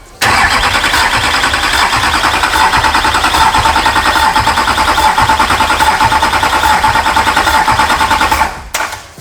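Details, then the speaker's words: Duramax diesel engine imported from the U.S., first start attempt: starter churns steadily about three turns a second for eight seconds but never fires, rail pressure just short of starting threshold; crank, no start. "well it was so close to four there's another five npa and we would have been in business"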